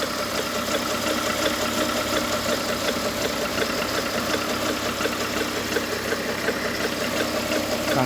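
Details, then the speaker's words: Project car with about 90,000 miles at idle: a steady rough grinding under the engine sound from a failing accessory pulley that needs changing; diagnostics also showed a crankshaft sensor fault. "it's one of the pulleys you can't quite see nor with the camera focus there's so much stuff but yeah one of the pulleys is on its way out so that needs changing"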